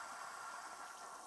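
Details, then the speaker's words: Stovetop pressure cooker cooled under cold water in the sink for a quick release, valve dropped: soft gurgling hiss fading away, meaning pressure has dropped and it is safe to open. "all right that that gurgling hiss that tells us that the pressure dropped and now we can easily open this up"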